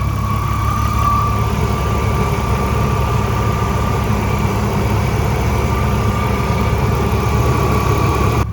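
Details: BMW E36 at idle after attempted plastic-piece repair: steady fairly high whine over a warm even idle, holding pitch; whine present for about 2 years, source unconfirmed.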